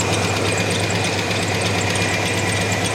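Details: 1987 Chevrolet S10 engine at idle after running with antifreeze in the oil, fresh conventional oil and new filter: fast light ticking over a steady rough idle, seeming slightly better; engine damage and ticking source unconfirmed.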